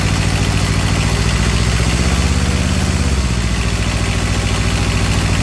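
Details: Comfort Pro truck APU small two-cylinder diesel with generator, removed from truck, glow plug start with throttle lowered: low, even chug at slow idle, steady firing, no knocks or misses; starts and settles cleanly.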